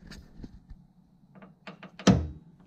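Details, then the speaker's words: Fox body Mustang Flaming River steering rack, shaft rocked by hand at the input hub/bearing where the column shaft enters: irregular sharp clicks and one heavy clunk; play at rack input, cause unknown. "you can hear it clicking right there I'm just moving it back and forth like you know on this flat spot here on the shaft"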